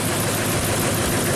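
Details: 2008 Ford F-250 5.4L V8, 219,000 miles, engine swapped and never ran right (hard cold start, stalling, low power): rough, uneven idle as cylinder 8 misfires from its unplugged coil connector; cylinder 5 also suspected.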